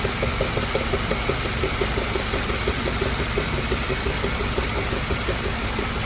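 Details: Mercedes-Benz W211 at idle: an uneven, stumbling beat with light tapping about twice a second, a cylinder misfire that returned 2.5 months after another shop's repair, including a new ECU.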